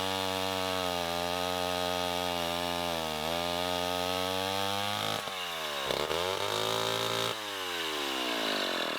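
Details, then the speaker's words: 1960s Homelite C-51/XL-12 two-stroke chainsaw during revival: buzzy idle that sags and wanders, dipping low before picking back up, with some smoke; idle speed set too low, owner suspects it wants more fuel. "sounds like i got the idle set a little low maybe it needs to be a little fatter we'll just turn the idle up"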